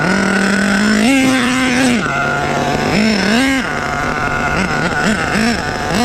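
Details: Rebuilt HPI Savage 21 nitro truck with Dynamite 28 engine, primed and fired up: high buzzing engine picks up cleanly on each throttle blip, then returns to a steady idle; runs healthy.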